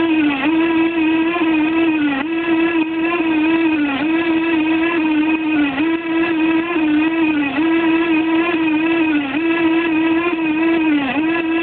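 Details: No. 3 reduction gearbox running: a steady, strong hum that sags in pitch about every two seconds, an abnormal noise compared with the normal-sounding No. 2 unit.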